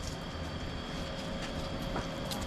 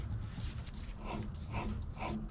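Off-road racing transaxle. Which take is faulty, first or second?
second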